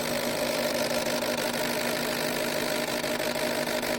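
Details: Ford Fusion with intermittently flashing check-engine light, mostly on the highway, misfire diagnosed as injector failure: rapid, slightly uneven ticking over constant hiss; injector losing efficiency at high temperature and frequency, stabilising as it cools.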